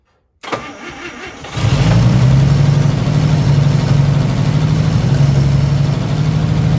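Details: 1955 Chevy: brief starter whir, catches at once and settles into a steady, even low idle that holds for a few minutes, sounding nice.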